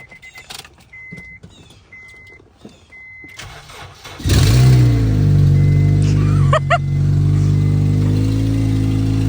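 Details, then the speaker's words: RSX at startup: quiet, then it cranks and catches into a loud, deep, steady idle; a very loud exhaust note right from startup. "let's start it up you're going to hear how loud the exhaust is it's like Wicked"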